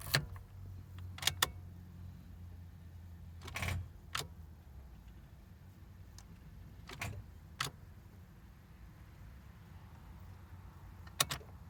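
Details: Starter solenoid clicks on a 1998 Jeep Cherokee XJ in very cold winter: scattered sharp single clicks at each key turn, sometimes clicking for a few seconds, with no cranking; battery too weak to spin the starter.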